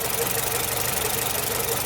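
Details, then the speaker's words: Nissan Platina at idle, owner reports power loss and shaking at stoplights, exhaust backfiring: rough, regular stumble and uneven pulsing as one cylinder drops out; spark test shows a faulty ignition coil causing the misfire. "entonces aquí en nuestra bobina es donde está la falla amigas y amigos"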